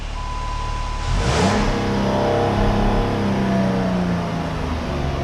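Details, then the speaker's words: 2007–2012 Dodge Charger after welding repair of broken exhaust flex pipe and studs: short tone, engine starts, revs and settles with smooth, even, quiet exhaust note, no ticking or puffing; no more leaks. "but stiff really quiet no more leaks"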